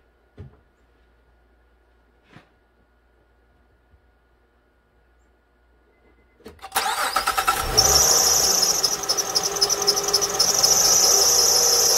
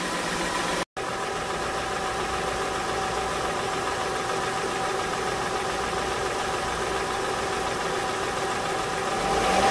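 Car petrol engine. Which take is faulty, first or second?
first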